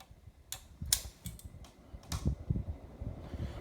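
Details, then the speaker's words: 1988 Casablanca Delta II 50-inch ceiling fan with Slumber Three, light off, running on medium: soft, irregular clicks and ticks over a faint fan hum; owner suspects it needs oil, cause not confirmed. "it makes a little bit of a sound on a medium the fan might need some oil more WD-40"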